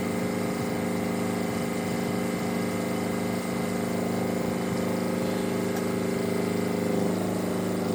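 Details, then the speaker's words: Perkins two-cylinder diesel in a Power Pony, running after its fuel system was bled with a new banjo bolt and glow plugs were used. An even, fast diesel clatter of about 220 beats a minute with no stumbling; normal running. "so it's a bit unique and when it's going runs awesome runs on the smell of an oily rag"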